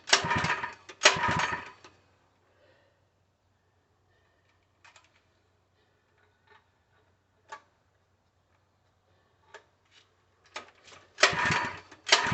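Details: Open-box Harbor Freight 3HP small engine (SKU869733), full of oil, choked: short rasping pull-start bursts with faint ticks between, never firing. No-start; the owner suspects fuel delivery since it gagged once with gas poured into the carb.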